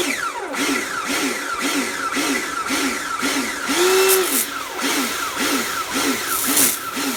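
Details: Repaired Karcher pressure washer (built from B202 and K2 14 units with frost damage and motor failure), spraying outdoors: motor rises and dips in a steady pulse about every half second; cleans fine, pulsing cause unknown.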